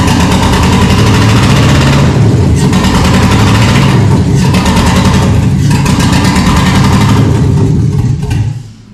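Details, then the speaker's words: 1974 Chevy K10 with 6.0 LS swap on 2002 Yukon Denali harness, first start after sitting over 3 years, no exhaust or coolant, brief run: loud raw open-header roar with fast uneven low beat, then cut off; running fine, just unmuffled. "It doesn't have any coolant in it, so it's going to be loud, and we're not going to be able to run it very long."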